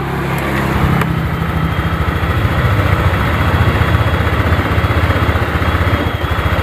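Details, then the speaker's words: Honda Vario 125 single-cylinder idling unevenly, rising and sagging, hesitating when throttled; fuel-pump pressure reads 30 against a normal 42; a sticking or clogged injector is suspected, not confirmed. "goyang-goyang berarti ini coba gas digas coba digas nelat-nelat ini tuh suaranya berup seperti injektornya ini kelat ini ya"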